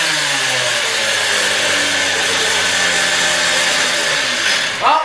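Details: Stihl TS350 cut-off saw after engine rebuild, fuel freshly mixed, choke off, old blade fitted, warming up; high clean two-stroke scream held steady at full revs, then dropping away evenly, normal running.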